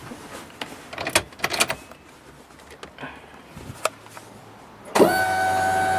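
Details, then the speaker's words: 1994 Acura Integra RS with newly installed Walbro 255 lph fuel pump, key on: after clicks, steady high electric whine, much louder than the original pump; priming normally. "obviously it works much louder than the original original fuel pump"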